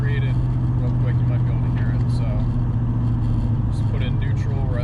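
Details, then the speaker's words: Turbo 2V 2.0 VW on a partial tune, before flashing a revised tune: while coasting toward a stop from about 30 mph the engine holds a steady elevated drone instead of dropping to idle until nearly stopped; high idle hang. "so until you almost come to a stop it's kind of idling high"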